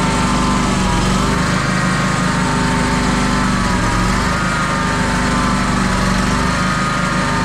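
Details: John Deere X350 mower, run on a little choke with an electric fuel pump in line, has a small engine running with a slight rise and fall in speed every few seconds. It is a mild idle surge; the owner suspects a fuel line obstruction, not the pulse fuel pump.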